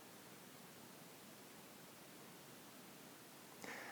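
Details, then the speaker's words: RØDE smartLav lavalier mic recorded on an iPad with levels normalized, silent room: steady even hiss, digital noise in the signal; unclear whether from mic or the iPad preamp. "have noticed that this mic does seem to make a little bit it does have some hiss some some definite digital noise in the signal somewhere"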